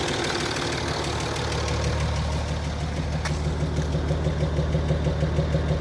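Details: Land Rover Discovery 3 2.7 TDV6 diesel idling hot: steady, regular knock of about three beats per second.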